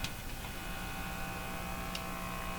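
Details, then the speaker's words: Hallicrafters TW2000 receiver powered on with scope connected to the speaker, sweep stopped: steady low buzz under faint hiss, unchanging; mains hum, suspected from the scope connection. "Where did this horrifying hum come from?"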